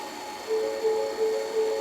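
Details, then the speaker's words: 2020 Ford F150 rear electric parking brake released via Autel scan tool for pad replacement: steady electric whir with a pulsing drone about every third of a second as the rear caliper motors rewind; normal. "them rewinding electrically with the motor. The truck's gonna beep a few times, doing all sorts of crazy stuff on the dash."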